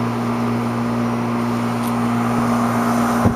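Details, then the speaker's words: HVAC condenser unit just restarted during a service call: steady, even low compressor hum at constant pitch with no knocks, rattles or surging; running healthily while charge is checked. "running compressor whelming so we'll let it go for a few minutes make sure the charge looks right"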